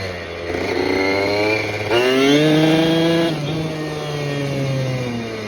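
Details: Restored 1987 Kawasaki KDX80 two-stroke on a test ride with the exhaust baffle removed for more power: crisp buzz climbing cleanly in pitch and dropping back smoothly, with no slipping or rattle; it runs healthy.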